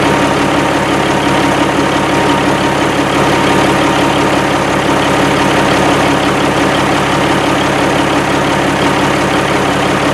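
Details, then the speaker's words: 1987 Kenworth T600 3406B diesel, revived after over 20 years in a field, idling after its first start: steady, even idle with a deep throb and no knocks or misses; it sounds good with excellent oil pressure right away. "man i'm pleased this punch i mean it runs and it runs good i mean it sounds good made excellent oil pressure right away"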